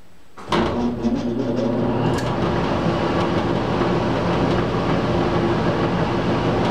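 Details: Old squirrel cage blower after worn belt replaced with new belt, tensioned to about an inch of deflection: steady, even whoosh once spun up, no squeal, chirp or belt slap; running smoothly.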